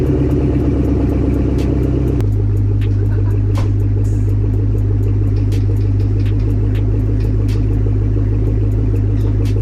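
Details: Chevrolet Camaro ZL1, blown engine being revived with an LSA from a burnt Cadillac CTS-V, cold start after a transmission oil change and clutch bleed. The V8 holds a fast cold idle, then drops to a lower, even, lumpy beat. Sounds healthy; smoke guessed from oil in the cats.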